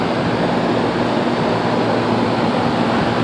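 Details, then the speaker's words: Carrier Weathermaster rooftop unit whose two condenser fans were replaced and rewired from a shared bad capacitor to two separate capacitors. Steady even whoosh at full speed with no knocks or rubbing: normal condenser fan operation. "hey youtubers here's this weather master series a carrier unit both fans were out you can see they're running"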